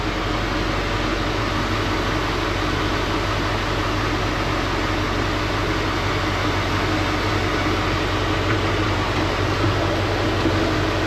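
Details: Heavy-equipment cab air conditioning just repaired by a Thermo King dealer, running over the idling diesel: steady fan rush and blower hum with no rattles or squeals. It blows cold air and works normally.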